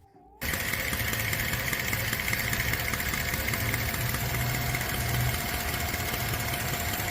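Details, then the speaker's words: 2011 Tahoe at idle, brought in for a ticking noise: steady idle with light, quick, uneven but persistent ticking; usual exhaust manifold bolt not missing, all the noise came from loose spark plugs. "Ce Tahoe 2011 est venu pour un bruit de cliquetis au ralenti. Bien qu'il ne manquait pas le boulon habituel sur le collecteur d'échappement, tout le bruit provenait des bougies desserrées."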